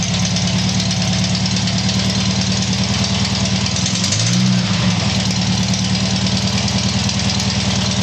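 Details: Tiger-1 engine started after rebuild: catches and settles into a steady, even idle with a low throb of about three beats a second, nothing irregular; normal idle.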